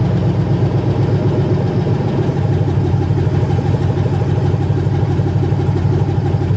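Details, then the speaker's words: 1980 Chevrolet C20 with swapped 4.8L LS V8: loud, deep open-pipe rumble with a steady, even beat and no knocks or misses; fired up as it should, the fuel pump inaudible; normal running. "well guys that felt pretty good it fired up just like it was supposed to"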